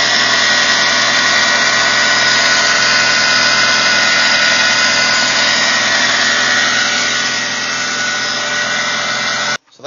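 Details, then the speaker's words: Saturn SL1 petrol engine running: loud harsh whine and scraping grind from a failing idler pulley bearing, worse when the belt is pulled and louder at higher RPM; the pulley was replaced. "if I pull the belt a little bit I don't know if you can hear that noise but it's making a little scraping grinding noise and it seems to be coming from the idler pulley"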